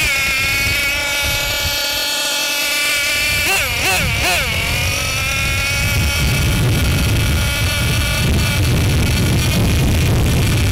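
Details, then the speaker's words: Losi LST XXL-2 gasoline (not nitro) monster truck engine idling while the low-speed (bottom) needle is richened before break-in: a steady buzz whose revs sag as the mixture goes rich, so the idle speed drops. "So, as you can see, when I rich in the bottom needle, the eye will drop. So, if you go and start your break-in process and you note that the idle on your truck, it might just be because your climate changes or your elevation."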